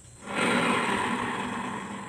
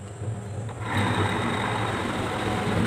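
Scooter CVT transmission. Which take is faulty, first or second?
first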